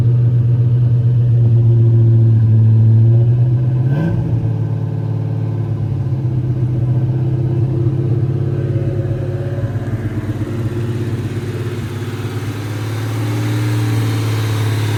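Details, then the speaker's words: Ford Mustang 4.6 SOHC V8, rebuilt with cams after bad head gasket, first start: lumpy wandering idle dipping and surging around a quick blip; throttle plenum blade set incorrectly, fixed later. "First start. The blade on the throttle plenum was not set correctly, hence the idle issues that was fixed later."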